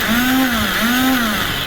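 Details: Royal Enfield Bullet Classic electric starter, after its switch was cleaned of carbon and shimmed: high free-spinning whine rising and falling with no engine turnover. The starter freewheels because the one-way starter clutch is faulty and due for replacement.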